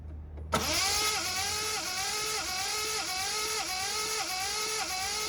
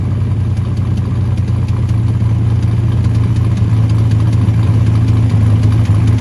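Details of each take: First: Ford Capri Mk3 Ghia 3.0 manual barn find, unrun about 20 years, fresh oil and new coil pack fitted: starter spins steadily with regular compression rise and fall but engine never catches; cranks, no start. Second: 1979 Ford Capri Mk3 Ghia 3.0 manual barn find, running after about 20 years laid up, jerry can fuel, no coolant so run about 5 minutes: steady even low rumble with mild rev rise, no knocks or rattles; engine sounds healthy.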